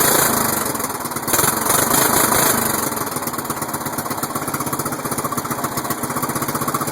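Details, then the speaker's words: Murray, not run for 3 months, cold start at 25 degrees outside; chugs at about four beats a second with sharp pops in the first seconds, backfiring through the carburetor, owner suspects a dirty carb: backfiring on cold start. "so it was pretty much successful with except for a little backfires through the carb maybe just dirty"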